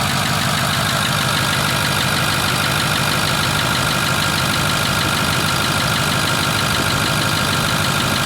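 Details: Ford F250 6.4 diesel just started cold, idle rising slightly as it warms, some smoke: loud busy clatter with a rough, uneven rattle over the engine; abnormal noise, source not pinned down.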